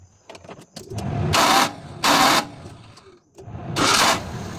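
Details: Suzuki mini pickup that stalls and starts hard, running premium petrol with air in the fuel line: short cranking bursts with pauses, engine never catches. Fuel delivery fault; the fuel pump socket was removed and wired directly.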